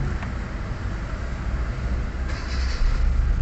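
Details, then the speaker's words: Kia Soul gasoline engine after fuel pump replacement, restarted after being off: catches on one click and settles to steady low rumble; normal quick start. "So kanina kahit mga 30 seconds pinatay tap start ulit talagang ah naga start start"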